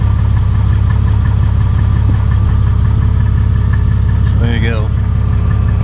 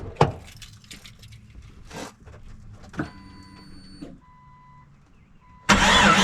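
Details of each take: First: 2001 Jeep Cherokee with about 183,000 miles, at idle with a new MagnaFlow stainless steel muffler replacing the split old one that Muffler Weld paste failed to repair. A smooth, even low rumble with no puffing, ticking or rasp; the exhaust sounds sealed. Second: 2001 Jeep Cherokee, about 183,000 miles, with a rusty, likely original muffler, started after a Muffler Weld paste repair: a loud, deep, steady exhaust rumble at idle. The paste failed to seal the blown muffler seam; a new muffler is needed.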